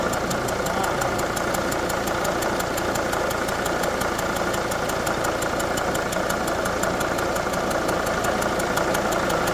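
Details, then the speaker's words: Diesel engine with injector seal leaks on cylinders 2 and 4, idling after hold-down bolt tightened toward 25 ft-lb: fast regular sharp ticking about two a second, reduced but still present; compression leaking past injector seal. "Let's start it up one more time. See what happens. Well, that slowed it down. It's still there, but not as bad."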